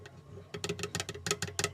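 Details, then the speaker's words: Guitar with Fishman Ellipse Matrix Blend under-saddle pickup and mini condenser mic: quick light clicks and rattles as the loose preamp control button is jiggled, the vibration first feared to be a loose brace. "I'm sure that's what's making all the vibration that sounded like a loose brace I was really afraid worried it was a loose brace but upon further inspection I determin it's this little guy right there"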